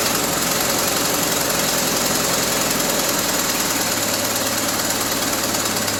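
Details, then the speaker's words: 1974 Triumph Spitfire with freshly rebuilt Zenith Stromberg CD150 carburetor, just started after firing order corrected: busy, uneven idle with rattly clatter, beat hunting, won't hold idle; carb needs tweaking and timing still to be set. "yeah, we still need to do some tweaking on this carburetor because she doesn't want to hold a idle. Timing, definitely got to get that set."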